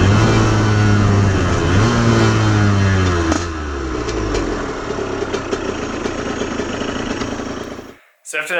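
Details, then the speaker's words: Aprilia RS50/YZ85 hybrid two-stroke under throttle after clutch changes: pitch rises cleanly then turns ragged and burbly, chugging about four beats a second, losing pull and bogging immediately; owner suspects tuning issue; engine breaking up under load. "and so i took it out on the street as soon as i hit it just it just died immediately just bogged just right off the bat"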